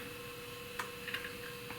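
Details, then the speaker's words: Compaq LTE 5400 laptop hard drive detected in fdisk: a few soft scattered ticks over a faint steady hum, ordinary head-seek clicks from a working drive. "it it is seeing it so that's good i can hear it going click click click"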